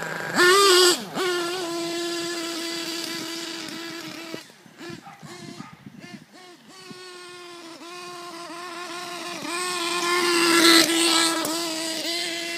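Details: HPI Pulse nitro RC engine on 25% HPI racing nitro fuel: high buzzing note that keeps stumbling, dropping out, popping and spluttering, then picking back up unevenly; persistent misfire, owner says not a fuelling issue.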